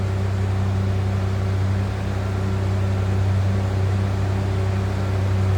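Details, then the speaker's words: 1988 Ford Bronco II XL 4x4 with a stock 2.9-litre V6, 5-speed manual and 71,578 miles, idling just after a cold start. Steady, even low rumble with no knocks or misses; healthy. "Let's take a listen. Sounds like a stock 2.9 liter V6 to me. Nothing crazy over the top with exhaust."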